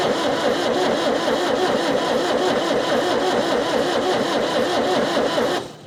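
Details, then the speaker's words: Perkins diesel in Chamberlain tractor sitting 26 years, freed from stuck: steady cranking about five compression beats a second with no firing while bleeding injectors, fuel at pump but air in injector lines; crank no start. "first thing I'm going to do is ble the injectors we've got fuel up to the uh up to the pump so it shouldn't take much if the pump's working to get it up to the injectors"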